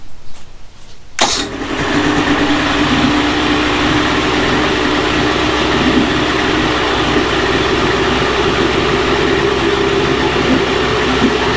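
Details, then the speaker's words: Early-1980s Mercury 350 35hp two-stroke outboard after replacing head and exhaust gaskets (failed exhaust gasket had let water into cylinders); cranks and catches within a second, then a steady, even buzz with no misses or knocks; running normally. "Alright, well, got the 35 running."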